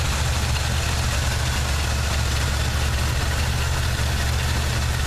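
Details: 1979 Chevy truck, 350 V8 with automatic choke: low, rumbling idle with an uneven beat and occasional stumbles in the exhaust pulses. Plugs are clean and unfouled and compression is sound. The idle misfire's cause is still unknown.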